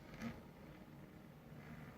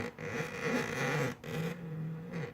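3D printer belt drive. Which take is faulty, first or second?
second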